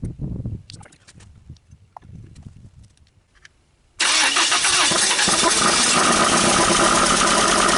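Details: 1980 Dodge Colt Challenger four-cylinder, sitting 20 years, with fuel poured into the carburettor and the vacuum advance and solenoid not yet connected: uneven sputters and weak catches, then steady cranking that never starts.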